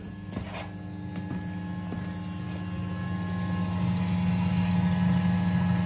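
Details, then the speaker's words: Twin fuel pumps on PWM speed control via a fan control module, held at 95% duty: about 100 psi, 38 amps, voltage sagging to 11.4 V. A steady electric hum rises in loudness over a rough churning flow sound, heavy fuel turbulence. "there a lot of turbulence in there it's for sure I'm going to leave it like this for a few minute which is a real hardcore test just to see if these can handle it but I think they might"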